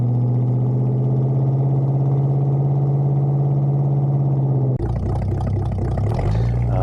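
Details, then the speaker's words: 1974 Bitter CD, Chevrolet 327 V8, before repair: starts and idles in neutral with a deep, even, smooth burble and revs cleanly. Its stumbling misfire appears only at full throttle or under load uphill. "so you can see here starting the car and idling it it sounds absolutely beautiful oh yeah nice and smooth even uh revving it up whilst uh in neutral lovely and"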